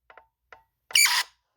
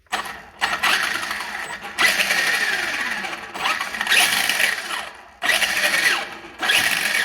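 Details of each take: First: Traxxas Slash brushless motor, output shaft held stalled by hand while throttled: short chirps then harsh high-pitched screech, also heard under hard braking or starts; cause found to be a loose rotor magnet. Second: Traxxas Slash brushless motor after regluing the loose rotor magnet to the shaft with green threadlocker: short bursts of high electric whir with light gear noise; the screeching under hard braking and acceleration is gone.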